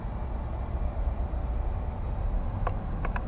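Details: 2006 Ford Expedition with a newly replaced AC blower motor on low speed 1, drawing almost 2 amps: soft, steady low whir with no rubbing, ticking or wobble; the new blower runs smooth and even.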